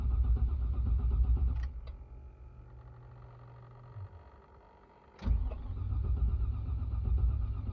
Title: 2002 GMC Yukon (crank but no start)